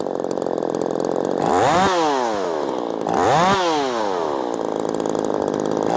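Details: Ported Poulan Pro 4620 chainsaw after retuning the carburetor from a base of one turn out on the low and high screws. Two sharp full-throttle blips rise and fall cleanly between a steady idle, crisp with no bogging; it runs healthy.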